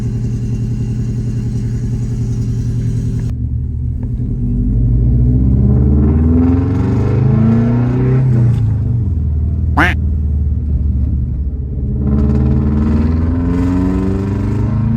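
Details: 2002–08 Subaru Forester with new, redesigned GrimmSpeed bypass valve, turbo: engine pulls and revs, then a sharp rising chirp off throttle; the valve is suspected faulty out of the box, not confirmed.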